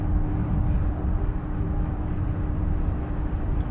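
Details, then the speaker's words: Volvo XC90 coasting on deceleration: a faint steady whine over heavy road rumble. Diagnosed as a worn rear differential (final drive) that needs rebuilding. "alright guys I had a problem with my xc90 now for a little while it's making a whining noise mostly on deceleration so if I do that now"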